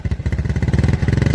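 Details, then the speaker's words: Suzuki New Smash motorcycle with high fuel consumption, black exhaust smoke and no stable idle, started at idle; low rapid thumping with a slight stumble, lots of smoke; running rich. "Perhatikan ya Nah langsam ini langsam langsam itu sudah banyak asap keluar nah"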